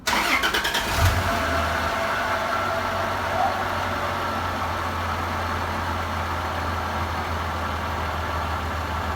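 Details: Toyota Land Cruiser 80 series after distributor O-ring replacement and tune-up: engine cranks briefly, catches within a second and settles into a steady, even idle with a constant low hum; normal start and idle.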